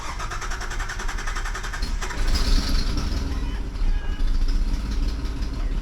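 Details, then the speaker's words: Nissan Xterra just after a supercharger swap with new headers, first startup: rapid sharp puffing tick over rough idle from an exhaust leak at the unplugged EGR port on the headers. "That sounds terrible with that exhaust leak."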